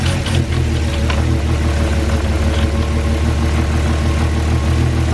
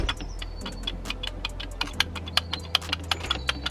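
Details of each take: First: Cheap Porsche Cayenne after throttle body cleaned and drive belt done. Deep, steady idle with an even rumble and no misses or ticks; sounds a little smoother, though it stuttered on startup, thought to be relearning after unplugging. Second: Cheap Porsche Cayenne, throttle body removed from the car and dirty. Uneven light scraping clicks, one or two a second, heard from the throttle body with nothing else running; rubbing noise believed caused by dirt, expected to be fixed by cleaning.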